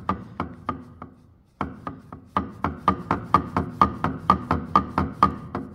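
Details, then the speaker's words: Differential being converted to a Torsen limited-slip, turned slowly on a dry-fit assembly during setup: sharp, fairly even clicks about twice a second with a faint ring; bearing not yet preloaded, noise to be removed by adjustment. "entend bien le bruit c'està-dire que maintenant il va falloir le régler pour supprimer le bruit alors c'est normal qu'il a du bruit parce que là le roulement il est pas il est pas en appui encore"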